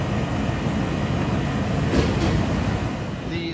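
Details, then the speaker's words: 2005 central AC outdoor unit that was blowing warm air, after cleaning a very dirty condensing coil and fitting a new Titan HD dual run capacitor. Steady low hum under an even fan rush, no rattles or cycling. Normal running. "hear that compressor hum in the background with a nice clean coil now job well done"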